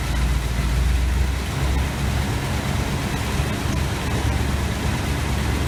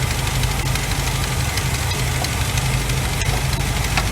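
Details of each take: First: 1986 GMC Sierra 400 small-block V8 after new distributor internals and valve adjustment: steady, even idle with smooth low rumble, no ticking or misses; vacuum 24; valves likely needed adjusting. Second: 1986 GMC Sierra, 400 small-block V8 idling during valve adjustment on new distributor install: light quick ticking over rough idle as rocker nuts are loosened until lifters tap.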